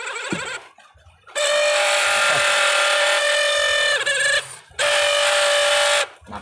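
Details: Camel aluminum orbit fan motor switched on twice: loud, harsh buzzing drone with a rough rasp, from a worn, loose front bushing.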